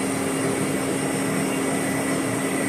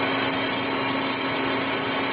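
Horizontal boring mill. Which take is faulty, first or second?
first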